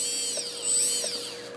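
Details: Small electric motor in an AirCore RC plane power core converted to a Spektrum-compatible HK R415 receiver, just bound after lowering throttle trim; whines high and thin, pitch sweeping smoothly up and down with throttle; normal run-up.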